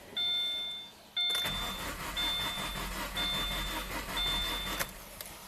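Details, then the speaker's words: 2014 Subaru Forester 6-speed manual, 120,000 miles, misfire despite new plugs, coil and injector: cranking with ignition relay pulled, uneven lopsided rhythm with one weak stroke, popping at exhaust; low compression from cracked exhaust valve. "By the way, if you listen to the exhaust pipe, pop, pop, pop, pop, pop, pop, pop, pop, pop, pop, pop. Low compression, that's going to be our culprit."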